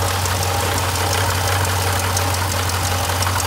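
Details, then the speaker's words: 2015 Jeep Grand Cherokee SRT water pump failing at steady idle: fast, gritty ball-bearing rattle that doesn't settle; water pump bearing failure. "you guys want to see what a water pump looks like when it goes bad you can hear it and you can see it right there"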